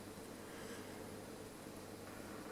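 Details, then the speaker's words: Columbus model 26P valve radio under repair, powered through a dim-bulb tester after replacing capacitors: a steady even hiss from the speaker with no hum or crackle. RF noise means the set is alive. "there we go. We've got RF noise from the speaker, that's a good start."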